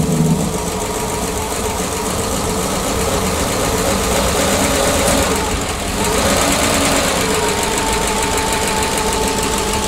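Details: PAZ-672 bus engine after valve adjustment, with valve covers fitted: steady even idle, previous knock gone, no sharp tapping over the rumble; valvetrain quiet and healthy.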